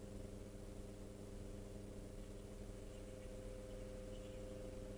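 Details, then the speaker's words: Motor, possibly a Mark III or Mark IV, powered up on the bench for a check: steady low hum with a rough, buzzy drone that never changes; running noisily, cause not yet determined. "is is power it up and have a listen to this motor. See if we can work out why it is noisy or at least listen to the noise and make a determination from there."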